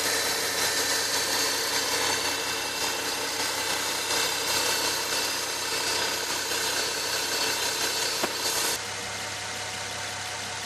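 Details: Nissan 370Z V6 at idle: steady high whine over a smooth engine note, dropping in level near the end; owner seeks diagnosis.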